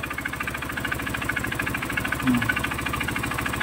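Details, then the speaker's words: Honda CRF150 single idling with the exhaust covered by hand: steady idle with a hard, fairly quick knock about three a second, bottom-end sounding; owner suspects the connecting rod, teardown planned. "So CRF to guys CRF 150. Maingay talaga. So sa mga ganyang tunog guys, connecting rod yan. Possible connecting rod."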